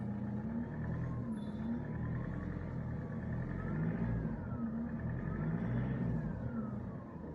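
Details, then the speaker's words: 2017 Mitsubishi Pajero Sport diesel, 104,000 km, stationary, revved: high whistle rises and falls with each throttle blip over diesel rumble; turbo compressor fins broken by external cause, not lubrication failure. "Nah, ini itu kerusakan karena pihak eksternal yang kisi-kisinya itu rampal ka"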